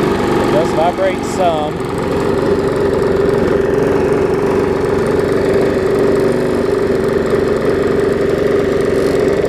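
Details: Bolens 21-inch push mower, Briggs & Stratton 500 series engine, built April 2012: steady mid-pitched drone with a shaky, unsettled hum, vibrating, barely usable; bent crankshaft and internal engine damage with heavy smoking blamed, deemed too far gone.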